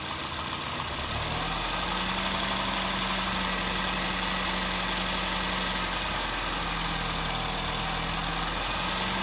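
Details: 2008 Honda Fit (Jazz), 1.5L, automatic non-CVT, 120k miles, valves adjusted: quick regular light tapping about four per second over a steady warm idle, absent when cold at higher rpm; owner suspects piston slap, not confirmed.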